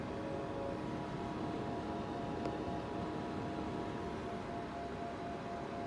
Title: Cooler Master MASTERLIQUID ML240L RGB Loud Noise